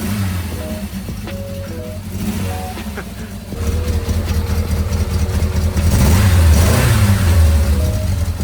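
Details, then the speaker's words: 1991 Yamaha XJ600, 48,000 on the clock, started on jump leads: deep, slightly raspy four-cylinder note starts straight off and climbs cleanly on the throttle over background music; healthy revving. "now listen to that a refin sound that sounds good good doesn't it yeah I don't know much about engines but that sounds to me like a healthy engine"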